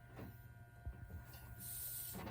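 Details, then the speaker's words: Air horn and cab light install on an OBS Chevy truck with onboard air compressor: thin, high hiss of compressed air leaking at the quick-connect fitting on the air gauge line; leak must be fixed before air is lost. "Now, as you can hear, there's a leak."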